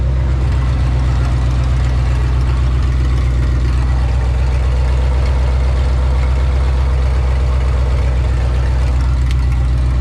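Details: 1984 Ford F-150, old 302 V8 after new oil pump install and rear main seal/oil pan bolt tightening, checking for oil drips: steady even low rumble, no knocks or ticks, smooth normal idle.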